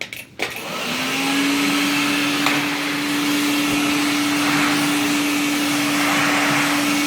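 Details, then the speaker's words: IEC Compact Electra Model C8 vacuum after a new motor install, on the floor: motor spins up in about a second, then holds a clean, steady hum with smooth airflow and no grinding or rattle; normal operation. "that's it that's the noise to make so much better hear that airflow"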